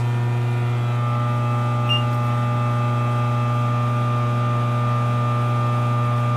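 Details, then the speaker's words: Frymaster FMH222 electric fryer heating, powered through a phase converter: loud, constant low hum with steady buzz on top, no pitch change; the normal noise of the phase converter under load. "sorry for the noise because i have a phase converter so when there's a loud when it's loaded it makes this noise and it's it's normal"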